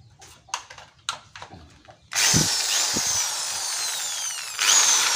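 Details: Electric drill that had stopped working, test run after being disassembled, serviced and reassembled: after handling knocks it spins up to a steady, even high whine with one brief speed change; running normally.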